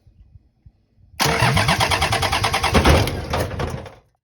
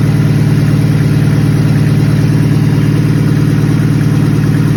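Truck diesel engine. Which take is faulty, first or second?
first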